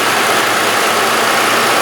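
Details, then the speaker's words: Engine idling smoothly after the belt tensioner was replaced. The earlier abnormal squeaky noise from the pulley is gone; normal idle. "oh you hear that no sound I mean the noise disappeared"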